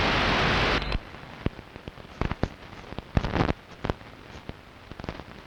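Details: Long-wave radio reception recorded at 01:34 UTC on 06.06.2012 with the DSL modem and router off: a burst of hiss, then irregular sharp crackles and pops over a quiet background, interference from an unknown outside source.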